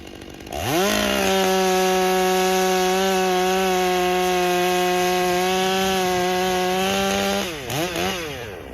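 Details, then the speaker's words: Stihl MS661c after a rebuild for an unknown carb issue, under long steady firm cuts: first cut four-strokes and gurgles slightly rough, then climbs to an even high scream as the auto-tune dials in normally. "You'll hear it four stroking is it's gurgling. It's like and then as the best way and the fastest way to get these to tune. You notice I wasn't cranking [snorts] long steady firm cuts. And it started dialing it in."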